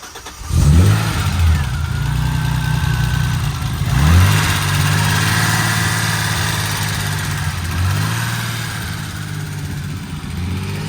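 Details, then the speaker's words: BMW E30 starting right up after a new battery replaced the dead one; a broken part is temporarily taped and a hole there would upset the air sensor. It cranks, catches at once, revs briefly, then settles into an even idle with no misses: a normal start and idle. "But other than that, the car starts right up. That's crazy. Start it up one more time."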